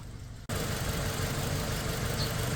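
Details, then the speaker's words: Toyota Fortuner petrol (likely 2TR) running on LPG, idling with an uneven, lumpy beat and stumbles. Cylinder 2 is dead; swapping plugs and coils didn't help, and a rat-chewed cylinder 2 injector wire is suspected of leaving the injector stuck and flooding. "ตอนนี้ผมก็เช็คเจอแล้วนะครับเกิดมาจากสูบ2ไม่ทำงานนะ"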